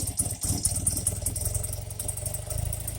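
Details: 1984 BMW R80RT airhead twin after cleaning rusty debris from leaking, flooding Bing carburetor float bowls: steady, even low thump at idle with no stumbles; sounds a lot better, normal idle.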